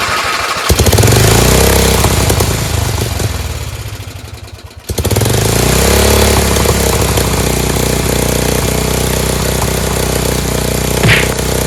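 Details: Dayton lawn tractor, 11 horsepower Briggs single-cylinder engine revived, transmission blown; engine fires and revs, dips briefly, then picks up and holds a steady even run.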